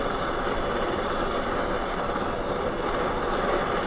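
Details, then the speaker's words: Trangia X2 multi-fuel burner pumped progressively to 20 pumps: loud, steady hissing roar with no sputter as the tank becomes over-pressurised, giving a sooty yellow flame; too many pumps cause sooting. "so let's keep pumping it see what happens with the flame it's at seven eight nine ten eleven twelve it's been 17 18 19 20 see yellow flame"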